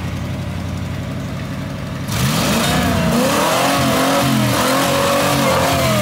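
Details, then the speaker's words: Ford Bronco V8 with Holley Sniper EFI, revved again after timing was bumped back to 34: quiet idle jumps to hard revving, and the pitch wavers and dips at the top, possibly on the rev limiter, and the throttle is sticky. "limiter sounds stop banging it off limiter fing the throttle is sticky okay no more then"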